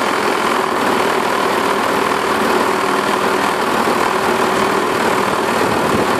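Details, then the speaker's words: Self-propelled 550-series lawn mower with plenty of oil, blade looks straight and balanced: steady but harsh buzzy shaking rattle, excessive vibration with the cause unconfirmed (owner suspects the self-propelled drive or its belt). "It runs. I mean, it starts and it cuts and it drives to the self-propelled. It's just it vibrates a ton."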